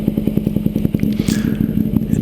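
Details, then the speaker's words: 2009 Ducati 848 twin with competition slip-on exhausts, after reconnecting a disconnected fuel pump hose: a few extra cranks as the empty fuel lines fill, then quick, even, deep exhaust thump at steady idle, no misses; running clean. "a few extra cranks but that's expected uh since the fuel hoses were empty doesn't she sound good"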